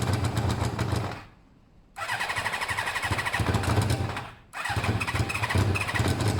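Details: Motorcycle just rebuilt with its coolant topped up, with pod air filters: it runs rough and uneven, cutting out briefly and stumbling back, struggling and starved of air through choked pods that the intake sucks forward.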